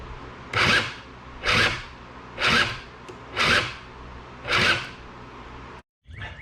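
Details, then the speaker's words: Honda Spree 2-stroke scooter (probably 1984 engine) with a new starter fitted: five short raspy whirring bursts about once a second, engine not turning over, same as before. Suspected binding at the drive pulley or bendix, chewed bendix not engaging. "so now i'm thinking that something's bound up here with either the drive pulley or the bendix or the way the starters matching up with the bendix"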